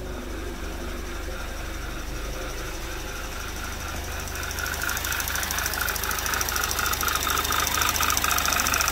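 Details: 2011 Audi TT Quattro 2.0T TFSI, first run after engine rebuild, coolant around 96 degrees, no check engine light: sharp fast regular ticking about three to four per second over idle, changing with RPM then stopping; suspected a valve or something electronic, unclear.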